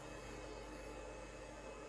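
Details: PC humming loudly: a steady droning whir with a faint fixed tone from the graphics card cooling fan, spinning very slowly on a dry bearing. Fixed by lubricating it with machine oil.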